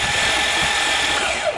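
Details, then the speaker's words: Van hydrolocked after being driven into a lake, cranked to blast water out of the cylinders: a fast, even whirring spin with no compression pulses. The engine is turning with no compression and the starter motor works. "well that's what the engine sounds like with no compression at least the starter motor is good"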